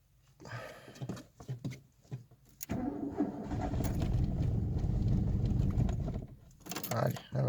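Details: 1989 Renault Super 5 GTR on 100% ethanol for over 30,000 km, cold start at -5°C in snow with choke: several stuttering cranks before it catches and runs rough; hard cold start on ethanol, fine once running; small exhaust hole noted.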